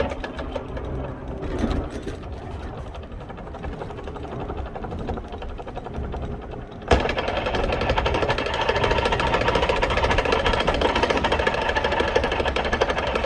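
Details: Vespa P125X with VMC Stelvio 177 kit: rapid rhythmic clicking, about two a second, over the buzzing two-stroke, louder with revs; primary/cush drive gear damaged by shifting at wide-open throttle backwards during uphill plug chop test.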